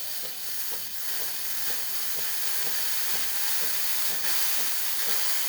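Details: DeLonghi La Specialista espresso machine after full service for grinder that stopped grinding, steam wand tested: strong, steady high hiss with a soft regular pulse underneath, about four a second; steam wand working normally.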